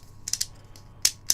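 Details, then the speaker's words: 3D-printed antenna rotator axle turned by hand: light dry clicks in quick clusters, notchy like a dial, because the bearing is pressed too tight into a polygonal printed bore; the play is gone but some clearance must be reintroduced. "Can you can hear it? Yeah, cuz it's a it's a polygon, not a circle. But, so I've got rid of the play, but I need to introduce some play."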